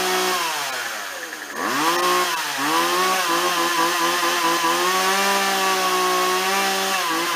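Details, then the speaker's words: Old Craftsman chainsaw, 2.2 cu in, 16in bar, unused about two years, after fixing fuel lines (had only run tilted right): dips once or twice, then holds a clean, steady high buzz while cutting; running properly. "okay good to go problem is solved uh I'm almost positive"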